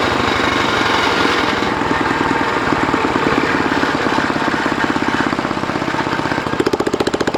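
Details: DR RapidFire PRO-XL log splitter, just back from the shop, engine at steady throttle: loud raw rapid popping exhaust, much harsher than normal; the muffler failed and broke off within 30 minutes of splitting dried cottonwood.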